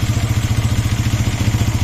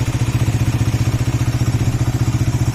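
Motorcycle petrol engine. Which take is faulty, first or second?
second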